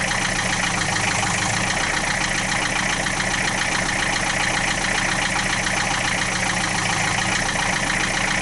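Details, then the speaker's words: 1966 Austin London taxi diesel, started without glow plugs at about 35-40°F: even rattly idle at constant speed, loud but no knocks, about 50 psi oil pressure, no smoke; normal healthy idle. "this has got a little bit of a noise that uh i've heard in a lot of diesels that uh i'm not saying that it's a bad noise but i mean it's just got a loud it's a loud diesel"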